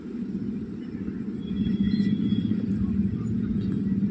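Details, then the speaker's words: Hyundai i20 (2012, petrol) idles with a steady, even low rumble and no miss after the misfire and jerking fix; vibration, heavy before, is now slight, and the check engine light has cleared. "ये हमने race किया है तो आप देख सकते हैं मेरा जो मोबाइल है वो थोड़ा भी हिल नहीं रहा है वाइब्रेशन नहीं कर रहा हल्का कर रहा"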